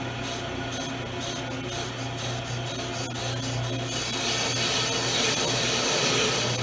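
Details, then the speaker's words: A disc brake rotor is cut on a Hunter bench brake lathe, with the cutter head fed all the way in, away from the rotor hat. A steady dry rasp with a quick rhythmic scrape, about four per second, as the cutter bites rust off the spinning rotor during resurfacing. "start to cut some rust off of it stop right there"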